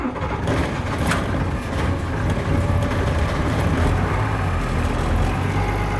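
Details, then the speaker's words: 1996 Blue Bird diesel bus, cold start after waiting for glow plug light, seats removed: deep steady diesel rumble catches immediately with no misses; clean cold start, extra vibration normal while cold. "fire right up guys fire it right up you can hear more vibration now because everything's out of it when it warms up it won't shake as much but when it's cold it's really gonna shake just the way diesels are"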